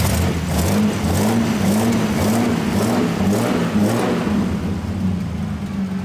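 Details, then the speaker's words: Lamborghini LM002 V12 with 12 carburetors, previously misfiring, after mixture adjustment (airflow still to adjust): revs up and settles cleanly, smooth and even through each blip with no misfire or stumble; normal revving. "I can hear you revving it up. Um, definitely sounds like it's better."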